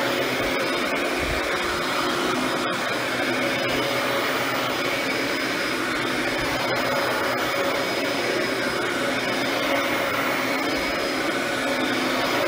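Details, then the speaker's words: Mid-2000s Dyson DC14 Animal upright vacuum after cleaning and service, suction diverter sending all suction to the head with the brush roll disengaged; even, steady airy roar with no rattle, surging or pitch change, healthy. "the diverts all the sucked into the vacuum head and the brush wall turns off"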